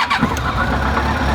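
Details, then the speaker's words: Yamaha 1300cc shaft-drive touring motorcycle, 50,000 miles: quick catch on the starter after fuel pump priming, then smooth even idle rumble with no ticking or missing beats; healthy. "and it sounds really good, and it starts right up."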